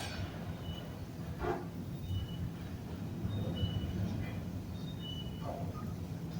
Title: Another elevator that's noisy when moving at Nathan Hale Gardens.